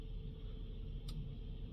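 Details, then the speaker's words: VW Amarok 2.0 TDI diesel during a full service with fuel filter replacement, fuel pump run through a scan-tool actuation test: a steady low hum and faint even whine cycling on and off, with no knocks. Priming normally. "It's going to do a few different runs. You can hear it go on, off, on, off."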